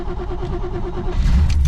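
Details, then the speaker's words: 1974 Corvette 454 V8, first start after winter storage since mid-October, carburetors possibly dry: engine fires right up, runs lumpy and uneven before revs pick up, good oil pressure; rough running. "She's not super happy, but man, I'll take it. She fired right up. Carburetors might be a little dry from the sitting, but not bad."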